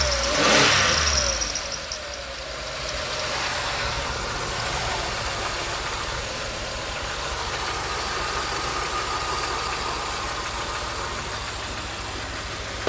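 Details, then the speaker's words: 2000 Grand Am 3.4L after ICM and plug wire replacement: a rough idle with a hard metallic clatter. The check engine light remains on and a crank sensor is suspected; the cause of the metallic noise is not confirmed. "Well, it ran already, but Not very well. I mean, it seems to run a little bit better. I need to run that check engine light. Still kind of hear that metallic."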